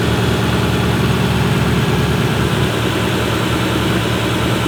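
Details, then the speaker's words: Turbo 5.0 V8-swapped Ford Ranger with no blow-off valve, after repair of a blown engine: deep, steady rumble with a slightly lumpy beat and no knock or tick; one person says it is not running great, but it runs. "Maybe he's just not used to having something run so good that you don't understand that, like, you know, I don't know."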